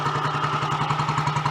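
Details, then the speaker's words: Royal Enfield Model G 350 single, running to circulate oil: steady even thump with light valve clatter, surprisingly quiet gear train to the magdyno; normal idle. "That sounds so much happier with life. I'm surprised it's that quiet actually, because the gear train up to the mag dynos can be quite noisy in themselves."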